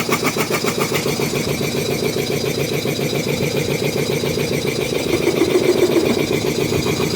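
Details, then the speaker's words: Restored DeVilbiss 445 compressor first run with both heads on, valves fully open, interstage coolers not yet fitted: even piston thumping, three to four beats a second, no knocks or rattles; running healthy. "And I'm sure the camera probably makes it sound louder than it is, but this thing, even just with the valves being completely open and shit, it's pretty darn quiet."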